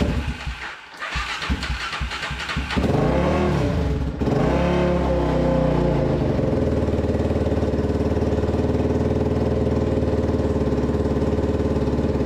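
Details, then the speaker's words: Restored Polaris Predator 500 quad single-cylinder with aftermarket CDI, sticking throttle cable and oil line leak: fires after a few tries, blips up and settles to steady even running with no knocks; runs normally. "sounds good, runs good."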